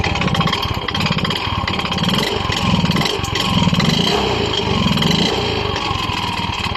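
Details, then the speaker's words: Yamaha Mio i 125 scooter, sudden engine noise that began a few weeks ago: loud, rough clatter over the whole run, too harsh for the engine; owner unsure whether piston slap or connecting rod, disassembly planned to confirm. "Sa tingin niyo guys saan kaya nanggagaling ang malaking ingay ng kanyang makina kasi magkapareho lang po ang tunog ng piston slap at saka connecting rod"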